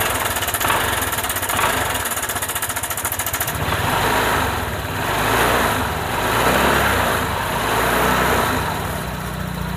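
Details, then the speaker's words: Honda PCX scooter that suddenly ran rough, after cleaning, oiling and resetting the cam chain tensioner lifter: light, even idle with no top-end rattle; normal idle, smooth again. "ya kita langsung tes saja ya teman-teman bisa bandingkan ya perbedaannya ya antara yang tadi dengan yang ini sudah langsung halus ya"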